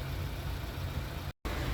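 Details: 2015 Chevrolet Onix 1.4 LTZ four-cylinder after camshaft replacement, decarbonization and timing reset that cured the chirping and out-of-timing fault, timing confirmed by oscilloscope: steady, even low idle hum with no ticking or chatter; healthy.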